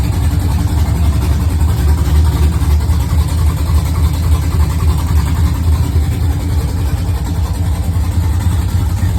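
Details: Freshly built engine on first start after a PCM flash, no radiator fitted yet, idling loud with a slightly unsteady, hunting low rumble; a vacuum leak on the intake side.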